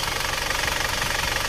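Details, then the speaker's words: Isuzu Panther automatic diesel, after a ring and valve-seal rebuild, idling at working temperature during a road test: fast, even clatter with no missing beats or knocks, and no visible idle smoke. Normal. "ini kita lihat asap distriknya tampilan aman sehat walafiat nggak ada masalah"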